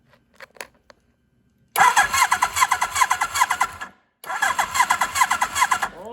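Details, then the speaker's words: 1982 Suzuki GS1100 first start attempt in over 20 years. Starter churns at about two and a half beats a second in two bursts without catching; slow cranking, owner suspects the battery may be low. "hopefully the battery's not dying it did sound a little low"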